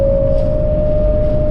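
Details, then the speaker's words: Camper van with newly fitted Thule roof rack, driving at speed: steady mid-pitched howl over road rumble, air whistling through the rack, described as horrid high-frequency vibration. "That is absolutely horrid. Absolutely horrible. It's a high pressure, or high, what's it called? High frequency vibration or something."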